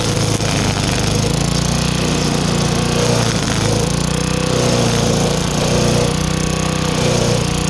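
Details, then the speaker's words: Craftsman wheeled weed wacker, two-stroke, found dirty, missing its spark plug and sat for an unknown time; now running with a new plug, cleaned carb, fresh gas and choke off. Steady, unbroken drone while cutting, no misses or surging; healthy. "But she works. It was a lot easier than I thought it would be. Again, new spark plug, clean the carb, and she's good to go."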